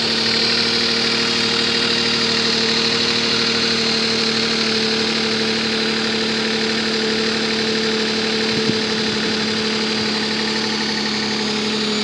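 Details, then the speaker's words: Nissan Maxima 3.5 with excessive lifter noise, worst at first start and quieter after 20–30 minutes, before a Motor Medic flush: steady idle with loud, light, quick ticking over the engine hum, location unclear; suspected lifter noise, not confirmed. "let you guys hear then lift your noise it's pretty loud I can't really tell if it's coming from the front of the back"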